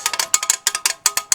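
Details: Horse-drawn mowing machine jacked up, wheel spinning free: crisp, even metallic clicks about eight a second from the drive dogs ratcheting normally; repaired after a broken dog spring made it bind and sometimes not turn.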